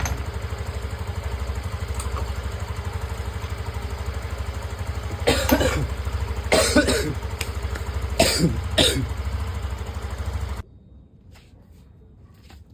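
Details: TVS Callisto single-cylinder scooter after the weak fuel pump that caused sputtering and stalling was fixed: even, steady putter of about three beats per second, not faltering before switch-off; normal idle.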